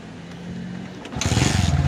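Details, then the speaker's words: Kawasaki Bajaj CT125 single after fitting an original new black cylinder block, cylinder head and valve seal: quiet, then it catches and settles into an even putter with no knock or rattle; normal start and idle, connecting rod fine. "Mayumi na uli mga idol oh maganda na uli yung andar niya Syempre bago eh na uling ingay ah ligtas yung connecting rod"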